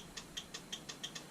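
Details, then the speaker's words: 2007 Harley-Davidson Road King, brake light always on and cruise won't set: relay clicks crisply back and forth about five or six a second and the lights work perfectly, confirming the faulty rear brake switch as the culprit; front brake switch fine. "back and forth and the lights are working perfectly so that confirms that it's my rear brake switch which is the culprit"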